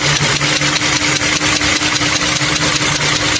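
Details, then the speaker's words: Toyota Camry 3.5 V6 2GR engine at idle: even, sharp rhythmic clicking at about two and a half beats a second over the idle; an internal tick with no compression leak found, engine to be removed for overhaul. "Động cơ phát ra tiếng gõ như thế này. Nghe tiếng lách cách lách cách lách cách"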